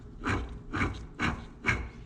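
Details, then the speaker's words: 2004 Suzuki LTZ250 rear axle rebuild: pinion turned by hand gives rough, gritty rubbing bursts about twice a second; the pinion bearing is worn out and must come out, and a special tool is needed to remove the nut. "That bearing is gone, and I need to get that out. So I need to order the tool."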